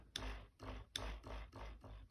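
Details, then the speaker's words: Addi power unit setup, drive belt tensioned to pencil line and motor slider adjusted: soft, even thumps about two and a half per second, unstrained, frequency shifting slightly; belt tension correct, not too tight. "You can hear the frequency changing a little bit there. You don't want it too tight. You want it to get the job done without being too tight."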